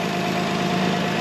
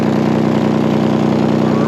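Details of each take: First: Old 2002 Toyota Highlander after an exhaust leak was sealed with muffler cement: a steady, even idle with a smooth exhaust note and no puffing, spitting or ticking at the pipe. The exhaust sounds sealed; a makeshift but working repair. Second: Older Toyota Highlander at idle, O2 sensor just fixed, check engine light on: sharp fast puffing rasp on the exhaust note from a screwdriver-sized hole in the exhaust right next to the O2 sensor.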